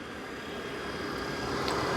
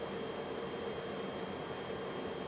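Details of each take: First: Coleman Mach RV furnace (RP-30Q) after a thermostat swap; it originally came on, shut off and wouldn't relight, and the sail switch was questioned. A steady low roar builds smoothly into an even hum: the burner lit and is running normally. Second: Coleman RV furnace (RP-30Q) with Mach thermostat on heat, gas on: steady blower rush with a faint high whistle and no burner ignition; the sail switch installed a couple of weeks earlier failed.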